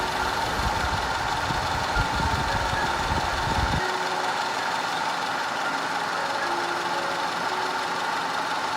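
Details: 2010 Audi A5 2.0 TFSI Cabriolet with codes P0304, P0300, P130A; uneven, lumpy idle with irregular low thumps from random misfire and constant cylinder 4 misfire, later fixed.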